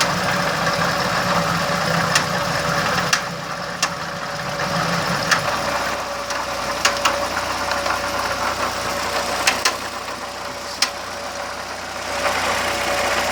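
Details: VW Gol G2 1.0 at idle; the owner hears a new noise and doesn't know its cause: steady idle with sharp, irregular ticks every second or two, possibly top-end or ignition, cause unclear.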